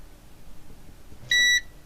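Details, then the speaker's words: Cambridge Audio Minx Air 100 speaker on the bench during a no-power SMPS repair: two clear high-pitched beeps in a quiet room, its normal standby chime as the standby supply powers up. "Yeah, there you go. So, that's your standby one. That's the standby, right? Can you hear that beeping?"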